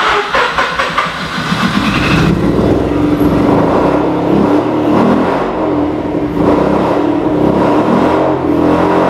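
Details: Mazda RX-8 13B rotary after replaced fuel pump now priming: uneven, lumpy idle that wavers when revved instead of revving cleanly; still running rough, cause unknown, blocked exhaust being checked.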